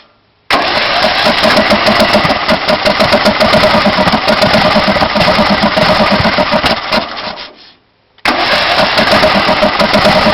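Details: Intek 18.5 HP engine on a DYT4000 riding mower that runs only about a minute first thing in the morning on starting fluid. Fast steady cranking with a brief stall, never catching, backfiring through the carb; cranks but won't start.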